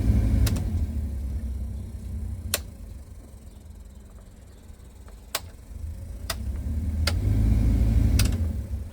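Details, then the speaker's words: Blower fan after blower motor resistor replacement, run through its speeds: rushing air with sharp ticks every second or two; owner suspects leaves or debris inside the blower. "I think it's got some stuff in there. I'm going have to take it out. like have to probably clear it. Probably have leaves or something in there."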